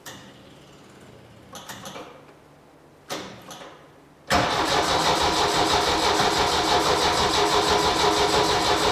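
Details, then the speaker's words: 1972 Saab Sonett, overhauled engine unstarted for perhaps a couple of months, now with fresh battery and more gas: a few short sluggish cranking bursts with pauses, then it catches and settles into a steady fast idle; hard starting after storage. "it's been a couple of months I think since this thing has been started but ah it's a quality Swedish car so it should start right if the starter would like to turn"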